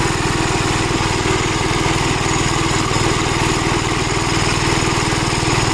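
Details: Gravely Model L tractor with governor, already run earlier, after its blown head gasket was replaced; single cylinder thumps at a steady governed beat with no misses or knocks. Runs healthy, though an oil leak remains to be found.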